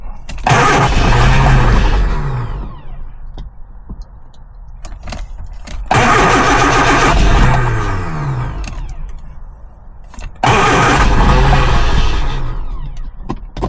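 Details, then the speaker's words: Lotus Elan first start after 3 years off the road, more fuel added and choke pulled out; three long cranking bursts that never catch, each slowing and dragging lower; the battery is getting weak and needs charging. "battery's getting a bit weak now I'm I'm have to charge the battery up"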